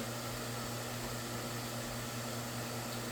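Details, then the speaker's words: Vornado Pivot3 fan running on high on proper 60 Hz supply in Canada, seemingly stronger than on UK power: even, quiet air rush with low steady motor hum and faint whine; normal running. "It's really quite strong actually. It's quite decent. So yeah, looks like it does make a difference in some ways."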